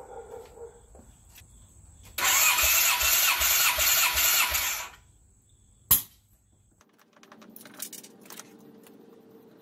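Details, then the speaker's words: 1995 Kawasaki KZ1000P police bike, 72k miles, sat 3 years: a few seconds of quick, even starter cranking with no dragging; compression check showed 150 psi on all four cylinders before adding oil. "just did a compression check on all four cylinders before even adding any oil and they all have 150 psi across the board so that's awesome to see"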